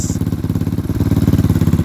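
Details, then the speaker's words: Lifan KP Mini 150 with swapped ZS175FMN 300cc 4-valve engine, warming up at idle: sharp, loud puffing about fifteen beats a second, exhaust spitting out at the cylinder head rather than the pipe; exhaust leak at head. "but I definitely got to get the exhaust taken care of cuz it's just spitting out of the um the head that's really where you're hearing the exhaust from not even the exhaust itself"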